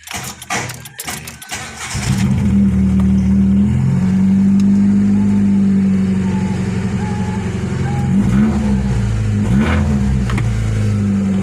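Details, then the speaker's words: 1993–96 Lancer GLXi after replacing distributor cap and high-tension wires to fix hesitation and popping: engine starts, settles to an even idle, clean revs with no popping; repair successful. "Fully mawala na yung putok-putok."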